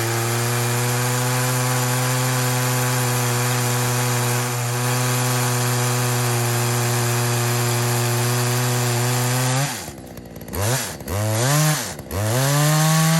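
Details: Poulan 2075C chainsaw (believed 32cc, 16-inch bar, old safety chain) after carb mod slotting splined adjuster knobs, test cut after cold start at about 15°F; high steady full-throttle buzz dips and recovers cleanly each cut; normal cutting.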